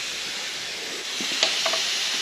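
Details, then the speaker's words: Intake manifold pressure test: steady high-pitched air hiss rising a little with pressure, with sharper spurts; leaking at the throttle body. "It is leaking a little bit from this uh 3D printed uh gasket that I did. Um cuz we're reusing it. Didn't leak last time, but we're reusing it, so it's probably smashed a bit."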